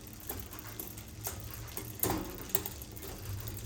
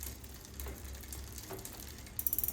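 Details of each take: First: Bicycle rear derailleur after adjusting cable tension with barrel adjuster: crisp single clicks as chain drops cog by cog over light freewheel ticking, stays on each gear with no skipping or grinding; downshifting is clean. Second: all right so i just went up another gear you can hear on the lever when i clicked but it's not going up you can hear it kind of ticking there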